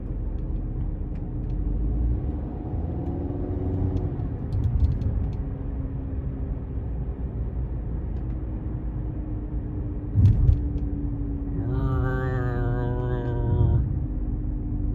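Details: Audi A4 while cruising: steady low road rumble with a faint constant roaring hum; worn wheel bearing diagnosed.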